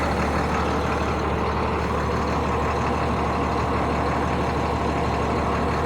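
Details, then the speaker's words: Beverage truck after frame cut-and-weld repair, diesel idling with brakes applied while checking reconnected air connections for leaks; steady rumble, no hiss, air system holding pressure. "be anything back here because why when he brake applied like it's holding their pressure good"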